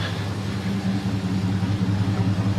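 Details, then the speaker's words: 2001 Dodge Durango with an aftermarket air intake, Flowmaster 40 series single-in single-out muffler and MagnaFlow catalytic converter, idling after a jump start on a weak battery: a deep, steady low rumble with an even pulse and no rasp or ticking. "The battery was a bit dead, but that's what it sounds like. It sounds pretty good."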